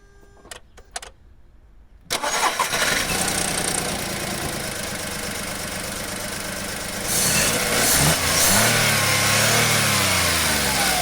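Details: 1.2 12-valve three-cylinder Skoda/Seat/VW engine, code P0302/16686: regular stumble at idle from cylinder 2 misfire persisting after new plugs and coil; compression about 10 bar on cylinders 1 and 2 vs 14 on 3, exhaust valves suspected.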